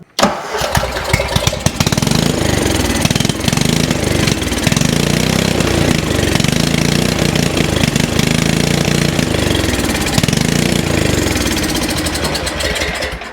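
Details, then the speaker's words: Craftsman 30-inch riding mower, given away by a previous owner, owner thought it needed a spark plug: catches on carb cleaner sprayed into the intake, runs ragged briefly then dies; spark fine, carburetor fuel-delivery fault. "going to give it just a little bit of carb cleaner down the intake see if we can't get it to fire up fired up and died instantly"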